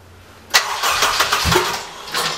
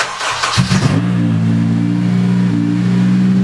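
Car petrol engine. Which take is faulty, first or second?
first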